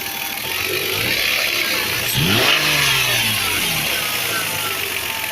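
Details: Light, irregular knocking at idle, about three per second, persisting through a quick rev, from a Toyota 2JZ-GE 300 km after rebuild with all new Taiho rod bearings; origin unidentified.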